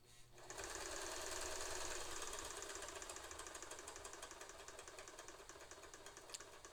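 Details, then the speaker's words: Original Singer Spartan vintage sewing machine with its original Singer carbon pile foot pedal, being diagnosed as problematic and heard running for the first time: the needle runs slowly with even, quiet ticking about three stitches a second over a smooth motor hum. Slow running sounds normal. "Look at the slow needle control. This is the original Singer foot pedal. It is a carbon pile."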